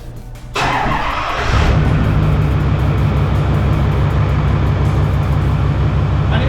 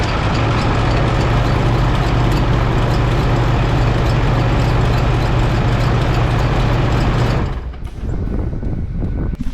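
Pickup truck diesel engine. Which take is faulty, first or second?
second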